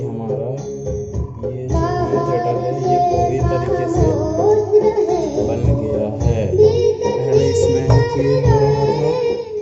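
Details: Home theater amplifier after repair: song plays cleanly with clear vocals and treble over the bass through the speaker; before the fix only bass came out, now full-range output sounds healthy.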